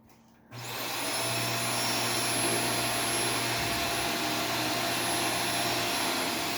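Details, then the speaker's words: Arm & Hammer carpet powder vacuumed up with a typical vacuum on carpet mode; motor spins up to a high whine over a low hum and stays labored, sounding like it's choking as the powder clogs the filter. "it sounds like it's choking what it sounds like it's choking probably because it is"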